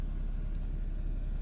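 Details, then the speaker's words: 2014 Porsche Cayman, day one after delivery: low, lumpy uneven idle; OBD reader shows P0303, cylinder 3 misfire. "Plugged in, and under engine, the management, it's showing error code P0303, Misfire cylinder 3."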